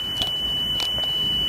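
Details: Sony Walkman WM-EX102 (titled EX610) after belt replacement, speed being adjusted: a steady 3 kHz test tone holds its pitch with little waver. Within ±15 Hz is considered good enough, so tape speed is stable.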